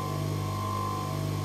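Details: Three-phase motor reconfigured from star to delta and run on single phase via capacitor, turning in the correct direction: steady, even low hum with clean mid-pitch tone, no knocks or rough patches; nice and quiet, normal running.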